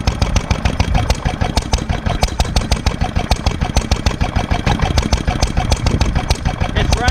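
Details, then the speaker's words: 1946 International Harvester LB hit-and-miss gasoline engine, freshly rebuilt, started cold on choke and sped up to full speed, about 1,000 RPM; crisp evenly spaced exhaust pops about three a second, no misses: normal running. "at low speed right now so I'm going to speed it up that's full speed about 1,000 RPM is what it's supposed to be"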